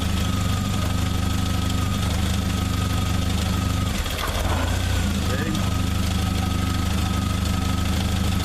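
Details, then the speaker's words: 1995 Jeep YJ with ignition coil relocated: steady lumpy idle at about three and a half beats a second, then it cuts out when the coil's back side is pressed; plug already replaced, coil wiring connection suspected. "if I press on it back here yeah it shuts off so yeah that's where I'm at right now"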